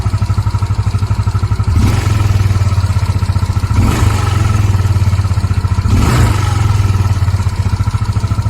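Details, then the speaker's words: Yamaha Mio 125 scooter after carburetor repair kit, started very cold on a cold day, now warm: even, steady idle between quick throttle blips, no longer hunting or racing; diaphragm still to be replaced; normal idle and revving. "ก็ประมาณนี้ครับผมเดินเบานิ่งแล้วนะครับไม่เด้งแล้วนะครับ"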